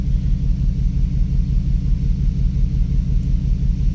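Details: 2006 Dodge Dakota 4.7 V8 misfiring at idle after suspension damage from hitting a downed tree; coil packs on cylinders 5 and 7 replaced with no change, cylinder 2 earlier faulty; deep uneven idle rumble with regular stumble about 85 times a minute, cause unknown.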